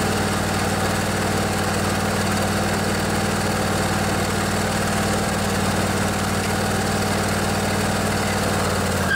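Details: Craftsman DYS 4500 riding mower, 24 HP Briggs & Stratton Intek twin, after storage and a full service with the fuel tank cleaned and the carburetor refilled. Steady, even drone with a constant low hum and no surging, misses or knocks; running healthy.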